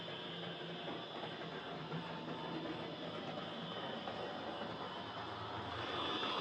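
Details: Hornby Dublo R1 0-6-0 tank loco, possibly about 60 years old, heavily run with brushes worn right down, on layout after motor adjustment; loud steady grinding whirr while running. Excessive gear noise.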